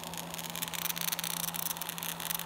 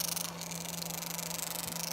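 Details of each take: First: Electric roller vane fuel pump for a waste oil burner cranked to full power on a speed controller, drawing 13 amps: steady low motor hum under a harsh, crackling hiss as it labors; pump straining at full power. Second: Electric roller vane fuel pump for waste oil burner, fluid-cooled, running with steady low hum and fast busy chatter over hissy top end; normal chatter from rollers in five or six slot pockets.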